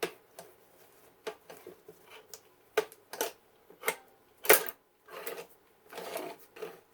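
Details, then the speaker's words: Record changer of a 1942 Zenith 7S685 radio-phono console after light lubrication: slow, uneven clicks and clunks as it cycles. The lever hangs and won't fully return, stiff from old hardened grease, which can jam the changer. "well sometimes it doesn't want to return all the way see that's one of those times see and what that does is sometimes that'll cause this to jam"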